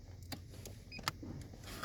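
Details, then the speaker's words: Mk7 Ford Transit: the blown red 10A OBD fuse in the hidden fuse box was replaced. A brief thin beep over soft handling clicks shows the scan tool powering up, meaning the OBD port works again. "You hear that beep? It's on now. So let's see what the faults are now."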